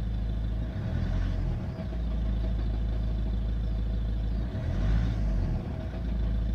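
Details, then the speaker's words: Volvo V70 2.0 D diesel: rough idle with a deep, uneven knocking rumble from a damaged dual-mass flywheel. "dwumasa puka."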